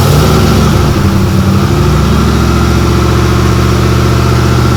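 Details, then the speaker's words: Outlaw buggy idling after fabrication, first start with full exhaust and new headers installed, all gaskets on and tight, one rear hanger still missing: deep, throaty, even steady burble with no leaks or rattles. Sounds mean but tolerable; healthy engine and exhaust. "Sounds mean, but it is tolerable. It's actually a really good sound. I'm really pumped right now."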